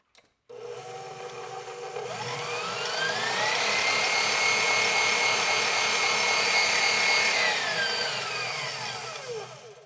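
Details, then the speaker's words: KitchenAid Professional 550 HD stand mixer after replacing stripped worm follower gear and greasing: motor spins up to even, steady whine and winds down with no grinding, clicks or slipping; fixed. "good stuff thank you that's it fixed"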